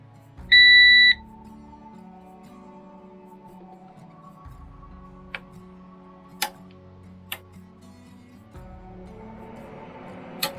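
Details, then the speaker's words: PowerShield PSCRT2000 line-interactive pure-sinewave UPS switched on via its On/Off button, on AC mains with 237 V input; a single short high beep, then quiet hum and faint clicks. Normal power-on signal, with ECO mode shown. "Vậy là UPS đã được bật. Cho biết điện áp đầu vào là 237V."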